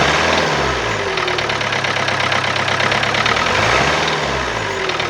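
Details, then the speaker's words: Old diesel car idling with a sharp, fairly rapid uneven tapping knock, heavier on blips, and engine vibration. Injectors already cleaned and coding done, yet knocking persists; the mechanic points to a cylinder sensor as the cause. "सारे clean हुए हैं और पूरा coding वगैरह जो भी process है वह सारी हो गई है फिर भी इसमें नॉकिंग आ रही है"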